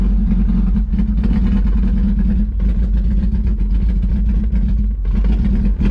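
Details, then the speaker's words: 1991 Mazda Miata 1.6 L on a drive around the block: uneven hunting note dipping and surging every second or two, never settling to idle; wouldn't rev past 4,000 rpm but runs and drives. Owner suspects mass airflow sensor. "all right so it's still not wanting to idle but and yeah so it's still not one idle it wouldn't go past four grand like you saw but it's running and driving"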